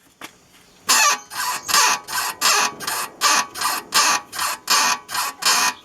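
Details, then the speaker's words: VW Fusca (Beetle) front suspension: a rhythmic dry squeaky creak, about 80 a minute, rising and fading as the car is rocked, with nothing knocking. It began after driving through a water puddle and sounds spread out and hard to locate; the finding is a dry upper ball joint creak. "bom aqui como o barulho da suspensão é um rangido não é nada batendo então V ter que descobrir no ouvido mesmo o que que pode ser que tá rangindo aqui"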